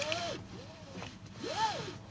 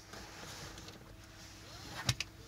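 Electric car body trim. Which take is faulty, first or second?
first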